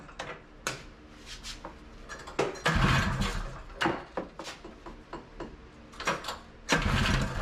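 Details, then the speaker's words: 1982 Honda Odyssey FL250 two-stroke, freshly overhauled engine, aftermarket Nibbi carburetor, stock exhaust: ragged bursts that catch, die away and restart irregularly instead of a steady beat; engine will not hold idle, cause not confirmed. "Can't seem to get it to idle. That's frustrating."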